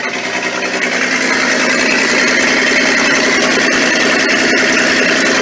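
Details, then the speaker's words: Ex-military Ford tug, first start after 11 years unrun on mixed gas, idling: loud, open, rapid chuffing with no muffling, an exhaust leak where the donut gasket is missing. "Ah, listen to that. Oh, we might have an exhaust leak."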